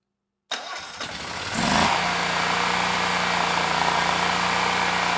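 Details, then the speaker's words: Generac XG10000E after its gummed carburetor was cleaned, needle and seat working, airbox not fully assembled: silence, a short crank, then it springs to life and settles into a steady even hum; choke turned off right away, running cleanly. "it's amazing the difference clean car makes this thing sprung right to life you I was able to turn the choke off right away and the engine sounded good and that was without the airbox fully assembled"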